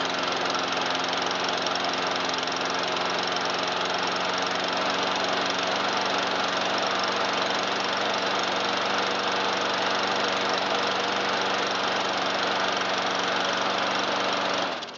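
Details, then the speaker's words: 2009 Troy-Bilt 12AI839G211 mower with Briggs 111P02-0693-F1 engine after carburettor cleaning: steady, even high-rpm buzz at full throttle with no misses or surging, running good. "it runs good."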